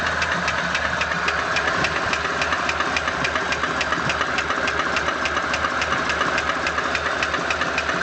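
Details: ZMZ 406 engine with a knock near cylinder 4: sharp metallic ticks about three and a half a second over a steady idle; a connecting-rod piston pin is suspected, not confirmed.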